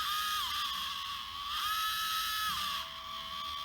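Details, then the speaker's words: RocHobby Katana RC crawler, old motor: thin high whine that steps up and down with throttle, vibrating and squealing through the plastic gearing; a new motor is expected to quieten it. "Listen to that old one. Alright, so new motor I think is going to really help with the sound."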